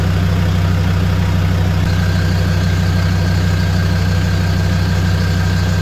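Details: Land Rover Defender 130 TD5 diesel, first start-up after fuel system purge (hard to start at first after sitting, ECU earth initially missed); steady, even diesel clatter at idle, about three pulses a second, no stumbles: normal healthy idle.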